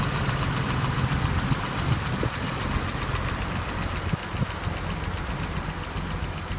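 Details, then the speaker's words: 1983 BMW 635CSI straight-six (manual transmission), original engine, warm idle; ticks over evenly with a steady low hum, no hunting or misses. Healthy idle. "just a quick video to um show the engine on the 1983 635 CSI so you can hear it running and have a look at the temperature gauge and have a listen to it and see what it looks like under the bonnet"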